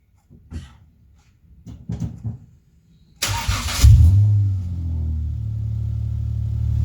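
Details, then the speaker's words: Ford Mondeo after engine bay fusebox harness rework: fuel pump relay clicks and pump priming whir, then it cranks, catches at once and settles into a smooth, steady idle; normal start and idle. "There you go, guys. That worked."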